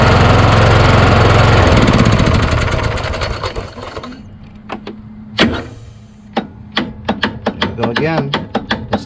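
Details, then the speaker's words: Craftsman YS4500 lawn tractor repowered with a Kohler Courage engine, about 36°F cold morning: engine runs, then dies into scattered single clicks as the starter stalls against compression despite double shims added to the mount; cause suspected, not confirmed. "it's really the compression stroke once it moves past the compression stroke if it can that's a problem man it's a compression stroke that's too high always once you get it there"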